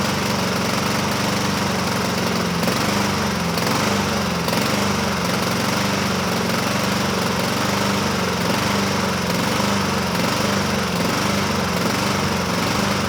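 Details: 2007 Honda HRR2162SDA Quadra Cut mower, after a stuck-open intake valve was fixed, surges: speed rises and falls roughly once a second. Water was removed from the tank; it runs better on partial choke; owner may clean the carburetor again.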